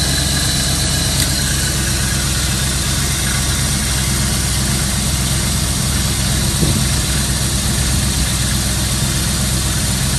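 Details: 1992 Chevy Camaro Z28 V8 after installing new distributor cap, rotor, ignition coil and ignition module: smooth, even idle with steady low rumble and no misses or ticks; engine running normally.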